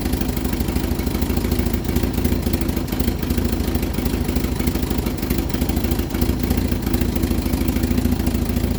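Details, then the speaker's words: Vauxhall Viva HC during rebuild, first start after refit with temporary fuel supply: uneven clattering knock on a lumpy idle, about three beats a second; owner suspects flywheel clipping a slipped gearbox cover plate, alternator and water pump ruled out. "right i took the belt off to eliminate the alternator and the water pump for that noise i've got a new water pump i'm sure both of the noises coming from like a guard plate that's in the gearbox"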